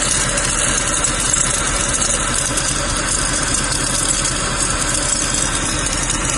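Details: Mercedes-Benz W204 C63 V8 idling steadily with a light, constant rattle from the front of the engine; a worn accessory pulley is suspected, not confirmed, and due for replacement.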